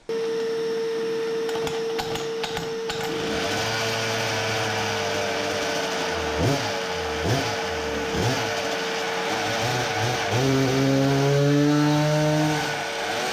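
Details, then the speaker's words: Samurai 40cc two-stroke with new cylinder on dyno, sputtering fixed: revved unloaded but flat buzz won't climb under load, fluttering, bogging; 3.13hp versus previous best 3.63hp. "oh no duct tape fixed it what the...it does not rev?!? it cannot be.... ok so this is what happened... so i was again wrong this is the curve with the new cylinder 3.13hp previous best was 3.63 should have guessed that it won't rev under load like it did freewheeling"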